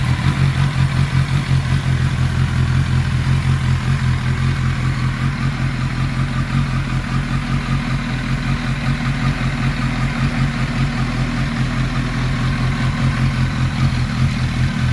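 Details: 1991 Kawasaki ZXR750 twin-turbo build after idle fueling and ignition retuned (about 18 degrees timing at idle), now warming up properly: steady, even low idle with smooth exhaust pulse, no smoke, misses or hunting.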